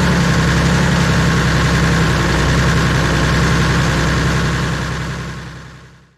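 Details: Bomag BW213 padfoot compactor diesel, bought at auction, running after air pocket bled from fuel system: deep, even idle with smooth regular beat, then clean wind-down at shutoff; normal idle.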